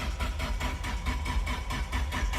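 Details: Nissan 240SX no-start after wiring repair and fuel pump fuse check, engine turns freely by hand: starter cranks in a steady rhythm about three to four turns a second, tach reads zero rpm, never catches; crank no-start.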